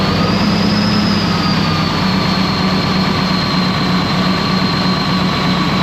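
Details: Ex-US Army Cat D6R bulldozer, 822 hours, valve cover loosely on: loud heavy diesel revving with uneven lumpy beat; misfiring, running rough, cylinder cutout test shows number 6 injector not reacting, didn't click hard.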